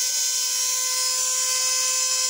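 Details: Hair dryer running slowly, opened for repair: thin steady high whine with no low-end push, motor spinning weak and slow; after spraying the motor it ran faster with more rotational power.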